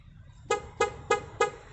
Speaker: if he leaves the door slightly ajar he would actually get a door jar warning so i'm gonna open the door and show you that the door is now a jar when he arms it now